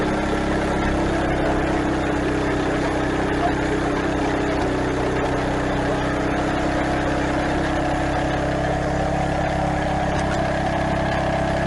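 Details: Craftsman garden tiller single-cylinder engine after replacing the old drive belt through the pulleys and tensioner: runs at a steady, even speed with no knocks, slipping squeal or grinding; runs healthy.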